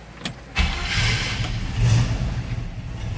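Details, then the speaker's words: 1967 Chevrolet C10: quick crank, catches right away without much effort and settles into a steady, even idle with no misses or knocks; a good runner. "take a whole lot to start it. Tell it's a good runner."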